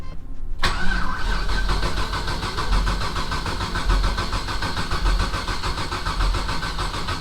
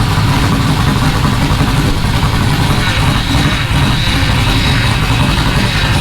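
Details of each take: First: Rally Camaro LS V8 on new Aces Jackpot standalone ECU: starter cranks in a slow uneven rhythm but never catches; no spark, almost certainly because the coil pack was grounded through valve cover bolts isolated by the gasket; planned fix is grounding elsewhere. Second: Rally Camaro LS V8 with no exhaust fitted, first start on new Aces Jackpot standalone ECU, idle target 1,000 rpm, not yet at operating temperature so not self-tuning: loud, deep, fairly steady rumble, no knocks or misfires; normal idle.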